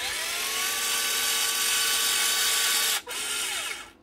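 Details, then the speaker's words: Makita cordless caulking gun, healthy: steady high motor whine driving forward, brief drop on trigger release, then the motor itself runs in reverse to free the mechanism and stops; normal drive and reverse. "once you let go to the trigger you hear the motor actually wind back that's not the pressure pushing the motor back that's the motor actually running in the reverse"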